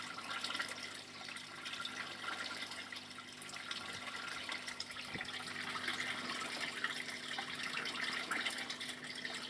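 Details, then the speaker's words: Aquaponic bell siphon with flow valve left fully open, high inflow: continuous gurgling, sucking rush with no clean break to silence; siphon struggles to unprime, owner plans to enlarge the bell's slots/teeth. "Et on voit que le siphon a un petit peu de mal à se désamorcer. Il va falloir que j'agrandisse les trous, les petites dents que je vous ai montré au début tout à l'heure."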